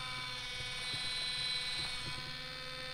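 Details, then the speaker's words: Minn Kota trolling motor after prop replacement and motor/skeg alignment, fixing a bad vibration above speed 5. Now a steady, high, smooth electric whine with light ticking and no rough vibration; runs much quieter. "sounds way better i don't want it i'd rather have it quiet right"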